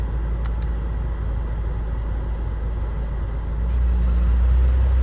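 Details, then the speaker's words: 2005 Honda Jazz at idle after topping up low AC refrigerant: steady idle, then the hum steps up louder as the AC compressor clutch engages and the fan comes on normally. "and it's coming on, and the fan is coming on. So I had to top it up a little bit with some gas, and just checking the pressure here."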